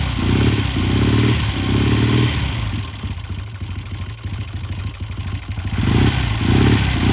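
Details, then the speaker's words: 1972 Triumph TR6 motorcycle after front sprocket and chain work, started cold: note cuts in and out in uneven bursts then clears as it warms; rough cold running, owner plans to check the pilot jet. "okay okay now it sounded rough it cleared up it just you know we had the same problem before it takes a little while for this thing to warm up"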